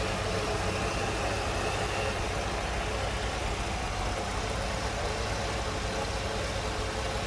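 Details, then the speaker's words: 1995 Ford Mustang GT convertible, 5.0-liter V8, automatic, idling with hood open: even rumble with faint steady hum, no misses, ticks or hunting; smooth-running, normal idle. "Smooth running, 5-volt."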